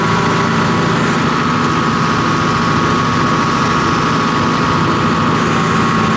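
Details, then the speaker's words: John Deere 245G excavator diesel, cold, after repairing number 3 injector: even steady idle with smooth low drone, no rattle or fuel knock; black smoke cleared, normal idle. "And then also, obviously, the sound's much better. It doesn't have that fuel knock."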